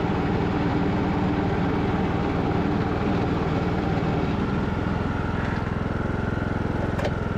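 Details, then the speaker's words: Craftsman LT2000 riding mower, revived after sitting a couple of years, backing up a hill in the rain: steady engine drone with an even low throb, no whine, slip or clunk, and fast reverse, so the hydrostatic drive is normal under load. "Reverse is fast. Sweet. I don't hear anything crazy going on with the drive system, and it seems like it's going pretty good speed there."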